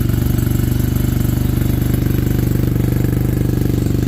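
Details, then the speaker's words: Suzuki RE5 rotary motorcycle after carburetor overhaul and setup, idling outdoors with a steady, even low burble, no misses or clatter; how it should sound with the carb set up right. "So we did start it just to make sure it would run, but we'll fire it up so you can hear how they're supposed to sound when the carburetor's set up right."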